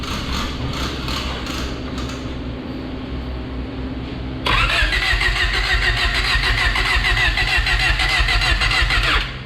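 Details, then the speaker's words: Honda Prelude cranking after fuel priming: steady even starter cranking about three turns a second, compression sounds good, never catches; spark present but noid light shows no injector pulse, injectors getting no power (resistor box plug suspected). "now we just checked we have a spark we're checking noid now crank another yep no noise we have no injectors"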